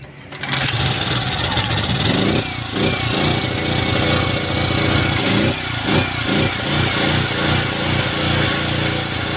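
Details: Generator that was hard to start, after the carburetor and spark plug were replaced: it catches within a second and settles into a steady, even drone with no stumbling or surging. Normal running.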